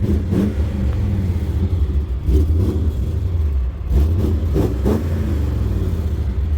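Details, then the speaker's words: 344,000-mile BMW E39 M5 V8 revved, heard under the car near the mufflers. A deep rumble with sharp puffing ticks points to a bad exhaust leak, along with a slight misfire and a stumbly exhaust. "it does not sound terrible but there is definitely an exhaust leak sounds like it is leaking very badly"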